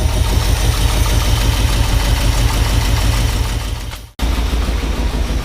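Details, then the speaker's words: 1978 Ford F-150 with 460 V8: loud, lumpy idle stumbling roughly three times a second, with air heard coming out; misfire from a dead cylinder. "you guys can kind of see how it's running a little shitty noises you want all right guys so as you heard in the uh when we were just running it a little bit ago we've got a miss"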